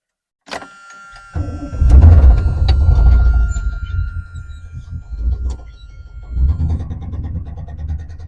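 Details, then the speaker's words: GMC C30 crew cab dually with tired old big-block V8 that spun a bearing: cranks, catches and runs rough with a heavy low nasty knock; suspected spun rod bearing, engine being pulled for replacement. "So the big block in this thing, it actually spun a bearing. It's got a real nasty knock to it."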